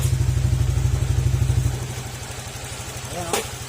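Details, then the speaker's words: Honda Click 125 scooter after engine overhaul and diagnostic reset of check-engine error codes, exhaust pipe partly covered: even, regular idle pulses, no knocking or clatter; sounds very different from before, healthy. "kung maririnig niyo ung tunog ng makina niya ibang-iba na dun sa una"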